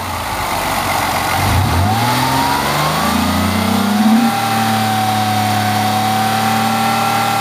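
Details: Ford Mondeo 2.5 V6 idles then revs, with a steady high whine over the exhaust note that rises with engine speed; the owner can't identify where the engine noise comes from.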